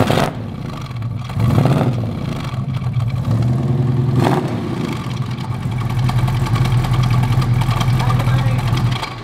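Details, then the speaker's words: 1968 Shelby GT500 KR with 428 Cobra Jet after a muffler tune for an owner complaint of loud exhaust: deep, throaty revs climbing and settling, with much of the earlier rattle and the big cracking noise gone. Not tinny; the exhaust sounds healthy. "you took a lot of the rattle out of the exhaust like that yeah you heard it when it came in last week yeah no this is much much better yeah this is noisy it's throaty but it's not like tinny"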